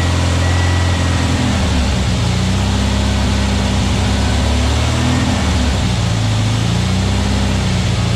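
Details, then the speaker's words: New VW Beetle 1679cc single-port flat-four, Scat C25 cam, dual Empi ICT carbs, first fire-up during 20-minute cam break-in: steady deep even drone, no misses or knocks; timing spot on, no leaks, carbs need tuning; normal running. "I tell you what, I'm pretty impressed though. Got timing spot on for the first fire up. Man, that was awesome."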